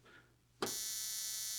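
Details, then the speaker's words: 1950s spark plug cleaner and tester, restored, with coil, capacitor and condenser pack: thin, steady electric buzz switching on sharply; sparks audibly but spark barely visible, very weak, cause unknown, condenser suspected. "And when I hit this button, you can hear it sparking, but you can't really see it. It's really weak."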